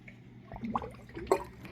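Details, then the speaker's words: Rheem AC air handler condensate clean-out pipe during heavy rain with AC off: irregular wet gurgles and splashes as water backs up instead of draining. Owner suspects a blocked or improperly installed drain line. "The drain is not working properly. Here it goes. You could hear it gurgling. It's not draining."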